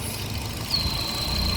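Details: 2014 Chevrolet Cruze at steady idle with codes P0171, P0106 and P0496, running as if misfiring, with high short- and long-term fuel trims. A thin, high whistle starts partway in and holds: a vacuum leak, blamed on a faulty purge valve.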